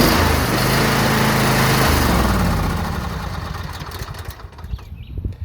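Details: John Deere E150 lawn tractor that only buzzed without starting, after spraying WD-40 on the starter gear where it was not engaging the flywheel: small engine runs steadily with quick even beat, then winds down smoothly; normal running.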